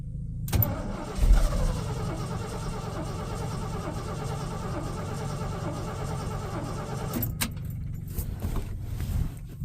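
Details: Ford F350 dump truck, engine cranking after mechanical fuel pump replacement (block-mounted, crank-driven); fuel lines suspected tampered/misrouted: long steady low churning that never catches or runs on its own; cause suspected, not confirmed.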